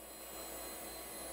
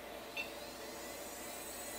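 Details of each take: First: AST Adventure 200 barn-find computer at power-on while booting Windows 95: even, loud whooshing whir with a thin high whine and no pauses; the hard drive is unusually noisy. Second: Barn-find AST Adventure! 200 (AMD K5) PC, first power-on: a steady fan rush with soft clicks and a loud hard-drive whir spinning up; it boots normally, though floppy fail shows because the floppy drive was unplugged.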